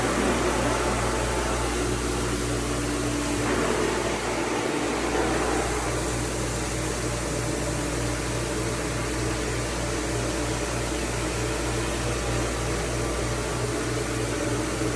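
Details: Jandy Pro Flow 2.0 pool pump motor after replacing bearing to cure loud humming: smooth even motor hum with steady low tone, no rumble, grind or wavering; running healthy, problem solved.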